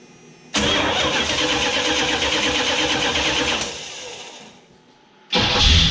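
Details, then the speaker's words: 1979 Chrysler Cordoba after installing a new gear reduction starter in place of the original: brisk, fast cranking that catches within about three seconds, dies away, then fires again; starter spins the engine strongly and much quicker. "She's a lot quicker now."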